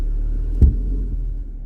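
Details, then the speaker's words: 2003 Audi A4, no transmission fault codes; knock on pulling away after engaging reverse and accelerating: one heavy low thump over steady idle rumble; worn engine and gearbox mounts. "Dale es un golpe que hace o que da al momento de Pues de avanzar"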